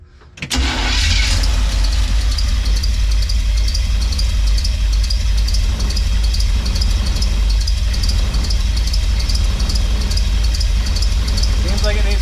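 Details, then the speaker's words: Chevy van with untested Craigslist small-block 350 V8, first start, distributor timing just advanced slightly: catches after short crank, runs low, heavy and uneven, barely running, odd chirp. Owner suspects it needs more timing; unconfirmed, timing light next. "needs more timing I don't know what that chirp is weird so before we go any further let's drag out the timing light"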